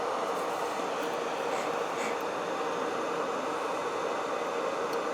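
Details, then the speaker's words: Mask blower after repair: the burnt-out boost converter was replaced and the fan now runs straight off the battery, with the resistor stack removed. A steady, airy whoosh with a faint hum and no rattle; battery steady at 58 with no excessive amps. Normal running. "battery's steady at 58 we're not drawing excessive amps the fan is running just fine"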